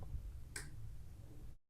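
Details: Relay-type test of a MOSFET electronic switch circuit (100 nF capacitor gate-to-ground): single crisp click, no buzz or chatter before or after; switching cleanly.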